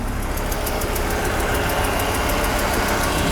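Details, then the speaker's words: Audi 90 after repair of a damaged distributor plate and vacuum leaks that prevented starting, with idle mixture adjusted; idle motor working again, steady even idle with light valvetrain tick and no hunting. "The idle motor is working again."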